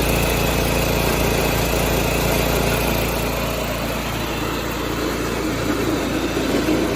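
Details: 1986 John Deere 216 lawn tractor small petrol engine, after carb cleaning and PTO adjustment, driven along the driveway. It gives an even, steady chugging with no misses, hunting or surging. Running normally.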